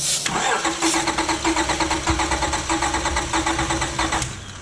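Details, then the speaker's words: 2005 Acura TL 3.2L V6 after a shop timing belt and water pump job, with a cylinder 4 misfire: cranks without firing during a compression test, even firm pulses, about 200 psi on cylinder two. "okay well you can hear it right yeah it had it definitely had compression it has 200 pounds right"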